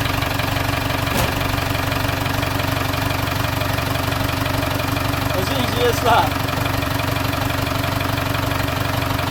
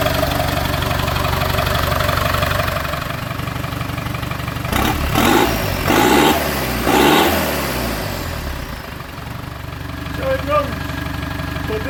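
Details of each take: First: British classic car left in a barn for years exposed to weather: engine catches and settles into a steady idle with a fairly even beat, about three pulses a second; running after long storage. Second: TDI diesel project vehicle, first start after sitting 4–5 years in an exposed barn; cranked to circulate oil before fuel pump connected. Steady idle with a couple of brief throttle blips, settling back evenly, no knocking or misfire; normal healthy diesel idle.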